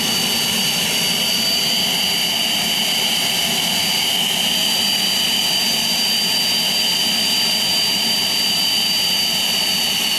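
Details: Homemade jet engine (gas turbine) built from a turbocharger, propane-fuelled student project from May 2005: steady high-pitched turbine whine with a roaring rush, no surging; normal smooth run.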